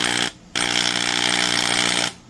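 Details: Porter-Cable PC70THD 1/2" two-speed corded hammer drill, bought used and described as rattly: high, buzzy motor whine with rattly edge in two bursts; loose armature shaft in front needle bearing causes the rattle.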